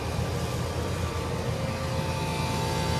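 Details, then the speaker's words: Trane HVAC unit in cooling, second-stage compressor (compressor 2): loud, rough steady drone with coarse low rumble and faint whine; pulling 15 amps, tech suspects it may be phased wrong; melted wire found. "Second stage. Sounds terrible. Stays sounding terrible. Oh, I missed the show. Hang on. And it's pulling 15 amps because it's phased wrong."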